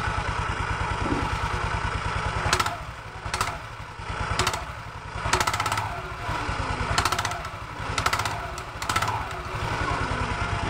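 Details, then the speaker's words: Automatic scooter with CVT cover removed, idling then throttle opened gently: irregular metallic clattering bursts from the rear pulley near the clutch area. "tarik gas awal bunyinya persis suaranya di sekitar sini ya teman-teman Ya di bagian puli belakang persis di area tempat gandanya ya"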